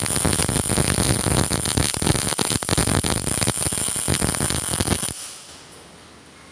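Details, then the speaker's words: GMAW/MIG welder set to about 4.0 m/min wire speed and 17.8–17.9 V after reducing from 4.2 m/min. A steady crisp crackle like frying bacon; wire feed and voltage are well matched. "bisa terlihat dan bisa dilihat bahwa penggunaan untuk voltage dan kecepatan wire itu cukup, dan itu bisa dilihat dari atau didengarkan dari suaranya."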